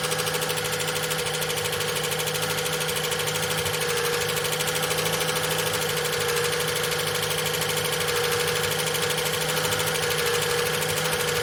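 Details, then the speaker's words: Old VJ Dodge ute, long unserviced, engine previously stuck, started for the first time with no transmission fitted: a constant light metallic rattle and ringing tone at idle. Owner suspects the clutch thrust bearing sitting on the pressure plate, noise from the rear; the rattle is quietening down. "Had a nasty rattle in it when it first fired up now. It's sort of quietening down a bit."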